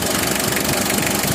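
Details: Mitsubishi L300 diesel at idle. Sharp, rapid clatter over the whole idle, louder than factory; removing the injection pump shim upsets timing. Harsh diesel knock.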